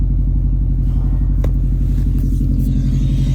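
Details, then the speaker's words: Car with cylinder 4 and random misfire codes, idling after battery disconnect for relearn: deep, steady low rumble with an even beat around three pulses a second, no stumbles; sounds normal so far, misfire possibly resolved. "so far so good the car is not sounding weird um I think it's sounding fine right now"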